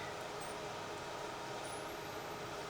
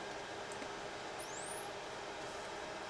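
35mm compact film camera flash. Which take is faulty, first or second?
first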